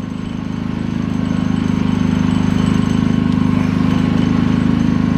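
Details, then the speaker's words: Harbor Freight Predator 3500 W inverter generator, just after a first-crank cold start following six months' storage. It runs at a steady, even, constant speed with no misses, knocks or hunting; green lights on, healthy. "one crank after six months I can't believe it [Applause] look at her go we got green lights oh man one crank after six months"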